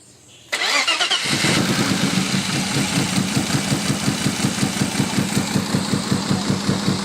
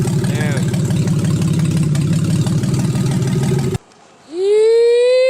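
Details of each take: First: Freshly built forged 3.1-litre custom S52 six-cylinder, first start: cranks about a second, catches, lumpy struggling idle, running a little rich but not misfiring; later traced to faulty ECU. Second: Freshly built forged 3.1-litre custom S52 six-cylinder after ECU swap fixed P0600/P0601 codes: steady even low beat at warm idle for about four seconds, no misses or knocks, then cuts off.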